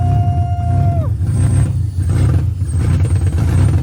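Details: First start-up after a manual transmission swap, gearbox believed in neutral: starter whine drops away after about a second as the engine catches, then a steady deep rumble with small throttle swells; healthy start.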